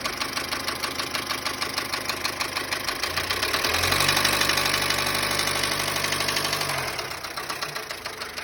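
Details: Dacia Sandero small petrol engine idling with a steady, sharp knock about three times a second that persists through a brief rev; oil had been below minimum, noise continued after topping up, oil warning light flickers above 2,000 rpm.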